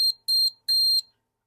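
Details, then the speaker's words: Multimeter continuity check on a GPX-4500/5000 metal detector screw and metal box: short shrill beeps come and go, continuity only when the screw is pushed hard sideways; clearance fit, so owner suspects the box isn't grounded, linked to poor ground balance. "I push it hard sideways I can get it to be continuity then no continuity"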